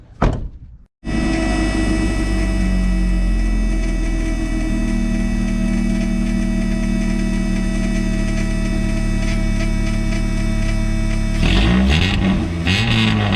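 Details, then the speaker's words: Car at idle with no exhaust resonator fitted: harsh, raspy buzz riding over the fuel pump hum; resonator to be added. "hopefully you guys can hear that raspiness over the fuel pump so let's get this car jacked up and figure out where we're putting this resonator quick"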